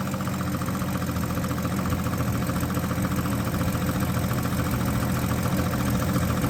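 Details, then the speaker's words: 1965 Ford Fairlane 500 after over 30 years sitting: low, heavy idle with an uneven loping pulse about three or four beats a second, still hitting a little; rough running. "turn the key on go ahead and crank it still hitting a little bit"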